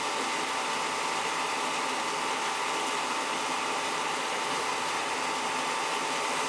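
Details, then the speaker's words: Oil-fired boiler with Tjernlund power venter, not firing: constant fan rush and faint steady whine with no burner motor or flame roar; technician blamed the burner motor, doubted CAD cell. "Bit of a bad burner motor there. Might have a bad CAD cell, but I don't think so. It was the burner motor."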